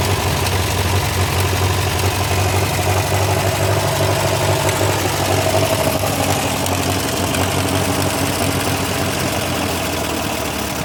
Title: MF TO35 After Rebuild Ticking/Knocking Sound